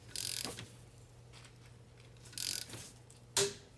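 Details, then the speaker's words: Mercedes/Dodge Sprinter front brake job: soft torque-wrench ratcheting, then sharp clicks as the wrench breaks over at 25 ft-lb (34 Nm) on the first caliper bolt. "So right there, I hope you can hear the torque wrench click. So the first bolt is torqued."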